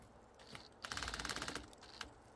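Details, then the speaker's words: Drill-driven chainsaw attachment pruning tree branches: fast even ratcheting click, about eighteen per second, under load; owner blames the drill's insufficient torque, not the saw. "that is the drill we need high torque not this thing's fault it's the drill's fault"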